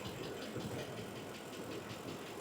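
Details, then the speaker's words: 2006 Ford F-150 5.4L V8 with a no-power complaint, idling with the hood up and AC off. Busy, rapid top-end ticking, louder and more aggressive than these engines' usual tick. Cause unknown; a TSB for engine noise may apply. "It sounds like the forward tap but a little more aggressive."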